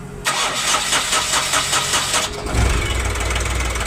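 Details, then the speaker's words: Ashok Leyland Dost diesel after crankshaft repair, after bleeding air from fuel lines: starter whirrs about two seconds, then catches and settles into a steady even idle; clean start, faults traced to bad crank sensor and rail pressure sensor. "अपना जो engine start हो चुका है complete successfully ये देख सकते हो"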